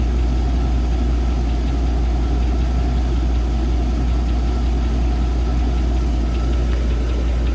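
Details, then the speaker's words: 2002 Chevy Avalanche 5.3 LS V8 at 255k miles, oil suspected sucked through faulty PCV valve: uneven low knocking a bit under two per second under rough idle; lifter first suspected, bearing wear or other knock suspected, oil analysis pending. "So as you can hear, that's definitely some tapping going on. I thought maybe it was a lifter."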